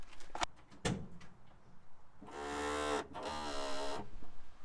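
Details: 1980 Peugeot J9 van, wheel turned by hand: low drawn-out moaning groan between light clicks. After a split ball joint was removed it still groaned, so another steering joint is suspected as dry and binding, to be lubed; not confirmed.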